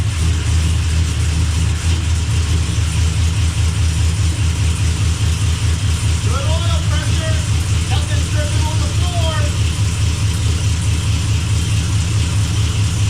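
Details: Blazer after transmission repair, idling while shifter is moved through the gears to circulate transmission fluid; steady deep even idle with no clunks, whine or slipping flare, no leaks: normal idle.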